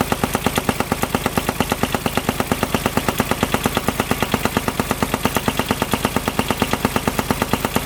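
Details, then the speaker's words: 2007 Kubota RTV900 diesel UTV bought at auction, noise started suddenly while riding: hard, steady knock about twice a second. Not the fan hitting, though the fan feels wobbly. Owner fears rod knock, unconfirmed. "Alright, so I was riding and all of a sudden I was hearing this sound. Check it out, it does not sound good. I really hope it's not rod knock."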